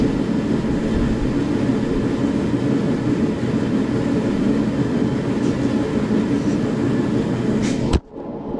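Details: SIPMA roller grain crusher after a DIY repair welding short bead pieces onto a roller, with the gap adjusted: even, steady rumble and rush for eight seconds without knocks or surges, then cut off. It mills corn smoothly.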